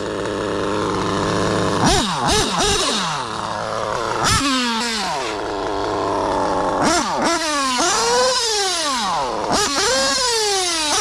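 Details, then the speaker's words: Mugen MBX8T nitro truggy, modified OS 28 XZ, Hipex 2095 pipe, high-end tuned, about 40,000 rpm, 50 mph: screams to very high revs crisply with no misfire; worn rear diff with stripped gear popping. "Despite the popping differential in the back because the gear stripped out, it was running sweet."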